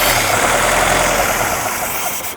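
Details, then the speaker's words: 1958 Jeep CJ5 that would crank but not start: ragged, uneven running that sags and fades within seconds, running only while starting fluid is sprayed in, no cylinder missing; owner believes a fuel delivery issue. "I'm super happy we're able to get it started at least and running as long as I'm spraying starting fluid in there."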